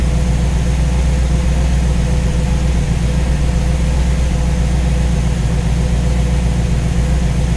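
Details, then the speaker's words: V8 warming up at idle with newly installed Ace's Killshot EFI and Blackjack distributor, timing set at 15°, while radiator is topped up with water; steady low smooth burble, no misses or knocks; judged to sound pretty good. "sounds pretty good everything looks pretty good"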